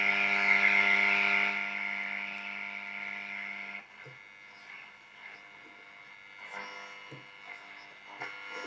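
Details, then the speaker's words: Soviet Serenada RE-308 radiogram switched from long wave to medium wave and tuned. Steady buzzing hum fades into faint crackles and hiss; interference only, no station received. "это по идее длинные волны но там сейчас ловить совершенно ничего давайте среднем включен и покрутим"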